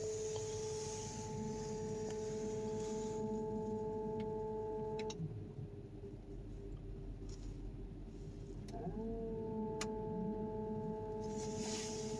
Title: 2004 Volkswagen Touareg 4.2 whining noise.